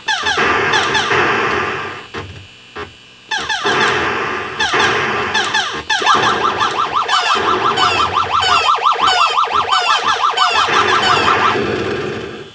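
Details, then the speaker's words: Atari Asteroids arcade PCB (1979) after repair of the saucer fire sound circuit off a 555 timer: clean chirping fire bursts, boings and explosions on all channels. A bad analog part, likely the .01 cap or a transistor, was shotgun-replaced. Sound board now working normally. "my guess is it was either the .01 cap or one of the transistors or something that's my guess either way it was one of those analog parts it's kind of hard to diagnose just stuff is cheap enough you just shotgun it and boom now it works"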